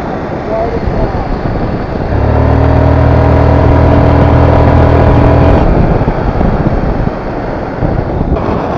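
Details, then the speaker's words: GY6 150cc scooter after replacing a CVT clutch that was coming apart, test ride up to about 25 and letting off: engine drone pulls up steady and smooth, then eases off under wind noise. No chatter or judder on take-up, and the old noise is gone. Normal clutch. "this clutch is definitely not making any of those sounds like it was before totally awesome"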